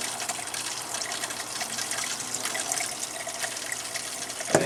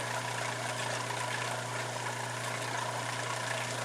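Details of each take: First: Water hisses out in uneven spurts and gurgles at a camper faucet after the failed Surflo 2088 pump was replaced with a Surflo 4008; air is still in the lines, the camper sat three years, and the owner suspects debris. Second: Steady low hum with an even hiss, no knocking, from a new Surflo 4008 Revolution diaphragm pump in a camper running dry with no water, which it tolerates; about 66 dB on a phone sound meter. Normal.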